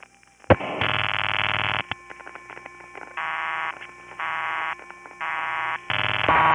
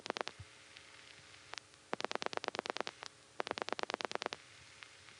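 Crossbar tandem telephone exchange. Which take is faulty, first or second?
second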